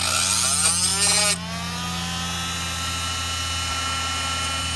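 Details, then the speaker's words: Heat gun: high whining motor with rough scraping grind that eases as it runs down; fan suspected rubbing, unconfirmed. "Okay. That doesn't sound that great. It's just hear a little bit of a grinding sound."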